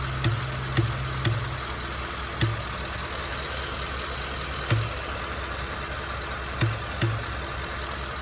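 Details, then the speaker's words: 2015 Ford F-150 5.0 V8, about 60k miles, new plugs, PCV valve and hose replaced: steady idle broken by sharp, irregular air-like pops, about one per second, coming and going. No other symptoms or check-engine light; cause unknown. "it just sounds like it's just slightly sucking in and and weird intervals just like because it's definitely coming from this or you know like inside this body isn't clicking or anything like that it just sounds like air is popping that's it"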